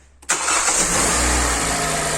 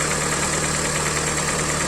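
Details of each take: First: Hyundai i40, 150 thousand mileage, first start after rebuild with block sleeved, new pistons, honed liners and head repaired: catches instantly, flares, then smooth even idle with no knocks; piston knock gone. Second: Hyundai i40, mileage 150 (thousand), idle: hollow rapid knock, piston slap. Teardown found scored second and third cylinders and metal particles in the oil; block to be sleeved and pistons replaced.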